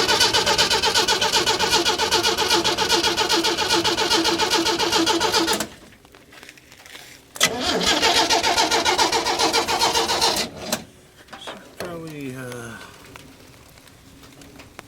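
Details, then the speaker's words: 1937 Chevy 250 six-cylinder, unrun for years, coil now hooked up and gas poured in the carb: two long bursts of steady cranking at about four turns a second, never catching. Only a little spark; owner plans to sand the points. "I'm sure glad it's raining we need it but it sounds decent cranking over so it's a little Spark so I need to find some sandpaper"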